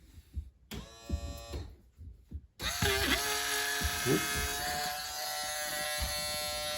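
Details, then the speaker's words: Live well recirculation pump motor on a 2010 Nitro Z8 bass boat, run outside its housing. Loud, harsh, buzzy high whine; the motor is going out, and corrosion was found inside. Failing pump motor. "you can hear that's making quite a bit of noise. You can tell that motor's going out."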